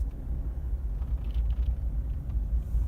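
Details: 2018 Mercedes A-Class, 12 months old, driving over bumps with rear seat folded down: only low steady road rumble, no creak or squeak; creaking occurs only with seat up. No rear seat creak.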